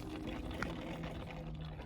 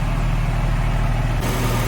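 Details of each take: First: Porsche 997/996 warming up after replacing the two small front coolant hoses at the flow and return pipes, during coolant bleeding; irregular gurgling over low engine hum as trapped air works out, antifreeze spurting from the open expansion bottle. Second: Porsche 997/996 after replacing two small front coolant hoses and bleeding the cooling system, car previously standing about a year; deep, steady idle with even low burble, no misses, hiss or gurgling; normal idle.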